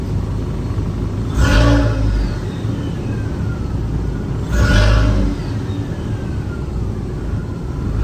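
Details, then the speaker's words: Manual-swapped Mk4 running after first start, engine warm with heat working and no fluid leaks: two clean throttle blips, revs rising and falling smoothly, quiet even exhaust note, no knocks; normal revving, engine running very well and quiet. "yo this thing is running way too good right now way too good the engine is so quiet"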